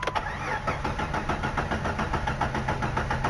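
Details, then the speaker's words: ZJ Jeep Grand Cherokee long crank, at least 15 seconds: starter cranks evenly about three and a half beats per second without catching; fuel pressure suspected bleeding back to tank, possible fuel pump. "hey that was a good one 15 seconds at least shut her off"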